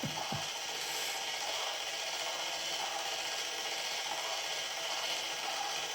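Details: Haynes Build Your Own Internal Combustion Engine model kit, motor-driven plastic mechanism, after reassembly with timing and tensioner position not set right: dry, rapid ratcheting rasp with uneven clicks, gear teeth seemingly skipping. Cause suspected, not confirmed.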